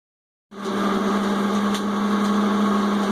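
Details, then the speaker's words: Whirlpool Cabrio HE washer: loud steady droning hum with hard buzzy edge starting abruptly when the drain pump kicks on after the full-speed spin, not during spin; owner suspects a bad bearing inside the drain pump. "this thing go up full speed crazy spin all that and then the drain kicks off and that's when you hear that noise so like the last video that had to do with this thing we're gonna take care of the drain see if we figure out maybe there's a bearing that's going bad inside o"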